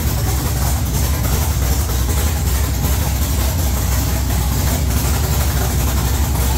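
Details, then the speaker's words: 1969 Camaro with swapped LS3 V8, Holley ECU speed-density startup tune, open headers: loud, lopey, choppy big-cam idle holding steady on its own, sounding like a pro stock car; normal idle. "that's what we needed boys our 1969 camaro idling sounded like a goddamn pro stock car"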